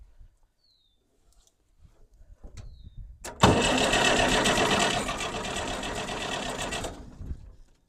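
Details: Long-stored Farmall 806 tractor: starter cranks steadily about three turns a second for some three seconds but never fires; fuel reaches the pump, suspected blockage or air leak in fuel system, leaky fuel line.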